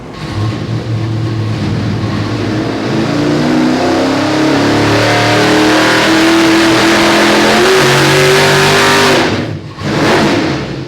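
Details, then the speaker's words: 632 big-block V8 dyno pull: about 779 hp, then near 1,000 on nitrous. It climbs hard, then falters at activation; fixed timing still needs a timing ramp. "779 horsepower, and then when we turned on the nitrous and went right to 1,000. I still really have I have a lot of work to do right here, getting it to come on a little cleaner."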